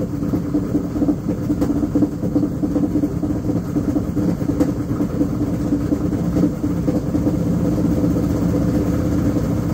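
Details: Washing machine running with a steady droning hum at a fixed mid-pitched tone and no change in speed; abnormal running noise from the drive, cause unknown.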